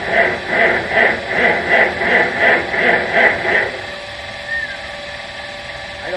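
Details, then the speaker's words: 1950 Farmall C, not run recently, at 10°F in snow: slow, labored cranking about three strokes a second for under four seconds, never fires; cold no-start, cold blamed but not confirmed. "I'm sorry to say, this video is what's going to be called a cold no start. So, oh well, we tried. But like I said, it's awful cold out here."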